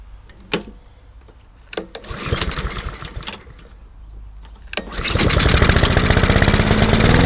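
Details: Hayter 48 mower with Honda engine from a job lot, restarted to confirm it was no fluke: a few pull-cord tugs, then fast, even buzz without stumbling; starts and runs normally, drive not working, belt suspected off.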